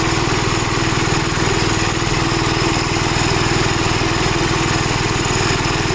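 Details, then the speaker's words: Gravely Model L tractor with governor, already run earlier, after its blown head gasket was replaced; steady, regular governed single-cylinder chugging, no misfires or wandering speed. Runs smooth, though an oil leak remains to be found. "Yeah, this runs really good since we replaced the blown out head gasket on it."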